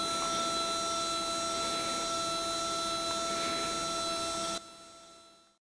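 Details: Skywatcher NEQ6 Pro mount with a belt mod, tested after the worm gears were adjusted: an even, high-pitched stepper whine holds without stutter or skipped steps, then cuts off cleanly. Normal stepper slewing.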